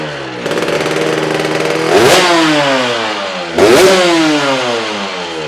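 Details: Honda RS 125 GP two-stroke started after 20 years, with the carburetor cleaned and a new exhaust fitted; two sharp crisp blips drop back cleanly each time, with no misfire or rattle, so it sounds healthy.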